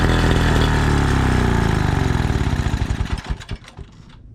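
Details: 1936 Johnson Seahorse 200 two-stroke outboard after fuel mixture adjustment: runs loud with steady fast crackle about ten seconds, then stumbles and dies as the fuel bowl runs out; wrong mixture ratio was the cause, now runs well.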